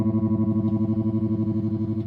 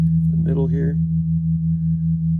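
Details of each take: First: 1974 Fender Super Six Reverb, 100 W ultralinear, six 10-inch speakers, during restoration after output tube component replacement: guitar tone chops into rapid even throbs, about nine or ten a second, at fastest speed and full intensity; tremolo too fast to be usable, to be slowed. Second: Restored 1974 Fender Super Six Reverb 100 W tube amp, tremolo tested with two 0.01 capacitors (0.02) at its slowest setting: a held guitar chord pulses about 2.5 times a second, evenly; normal tremolo rate.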